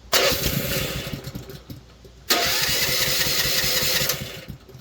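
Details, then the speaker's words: Manlift engine, cold and started on choke, catches and runs briefly, then dies, restarts and cuts out again; the intermittent cutout likely comes from a faulty contact inside the emergency stop switch. "see it's dead again see it nothing so on got to be a contact right there"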